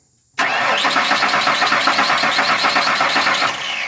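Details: 1998 Ford Ranger 4.0 with a new fuel pump, fuel pressure reading 55 psi while cranking: steady, even starter churn at about four turns a second with no catches or grinding, turning over without firing; normal cranking.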